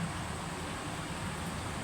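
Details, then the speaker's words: Electric fan after fixing oscillation that stalled and clicked: smooth even airflow whoosh, head swings without stopping, clicking or noise; normal fan oscillation after repair. "Wala na siya no? Hindi na siya tumitigil. Hindi na siya naglalagitik o nag-iingay."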